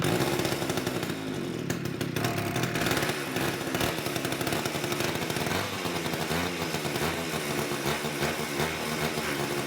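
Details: Old Craftsman two-stroke chainsaw stored for an unknown time, first run after cleaning a gunked carburetor. It revs loud and buzzy but unevenly, surging and dipping rather than holding steady, so it is still running rough.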